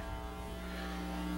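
A constant low mains hum with hiss laid over it, unchanging throughout; typical ground loop between the computer and the amplifiers.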